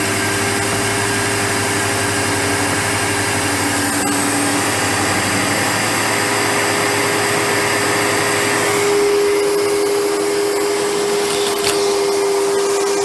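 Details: 1997 Sebo X1 upright vacuum at first power-up after pickup, filters worn, blockage port clear: steady, even motor roar with constant hum and no surging, rattles or scraping; runs normally.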